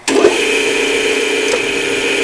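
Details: Old-style Clausing 5900 series parts lathe with a triple belt drive, run to show the drive components are good: even, steady mid-pitch whir and smooth hiss with no knocks or rattles; the lathe runs normally.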